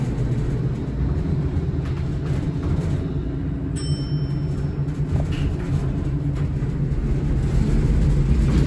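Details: Horizon hydraulic elevator at Rye City Hall, Rye, NY, installed 1964: steady low rumble with uneven rattling and shudder through the whole ride, very noisy and shaky, cause unknown.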